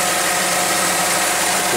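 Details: Toyota 7FGC30 propane forklift, hard starting and running rich: uneven hunting idle with a ragged hissy tone. Vacuum gauge bounces, and the MAP sensor reads about 3.29 V at idle, near atmospheric. Points to a vacuum leak.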